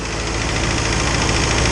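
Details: Isuzu 4BD2T turbo diesel in the Rusty the Spryte build at initial startup: even, uniform idle chatter without misses or heavy knocks; everything working as it should, idling normally.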